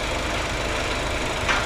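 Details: Rebuilt BMW 320i turbo at idle after first start: coolant (water only) holding level, no leaks, temperature stable, oil pressure 2 bar at idle; steady, even low rumble, no knocks or misses; healthy warm engine.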